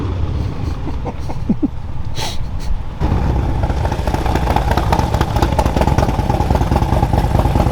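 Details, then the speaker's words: 2020 Harley-Davidson Street Glide Special M8 with new Baker GrudgeBox straight-cut six-speed racing transmission replacing the failed stock one, on a ride: engine pulls steadily through all gears to sixth with no heavy clunks; gearbox smooth and healthy. "Like, all right, well, it shifts through all the gears. But sounds good, smooth."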